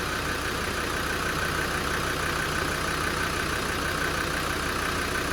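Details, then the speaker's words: Land Rover Defender 90 Td5 diesel after top-end rebuild with adjusted valves, idling without revving for turbo bearings: even, steady clatter with no tapping or misses; healthy, not tappety. "But it sounds good. It doesn't sound tappety, it sounds healthy."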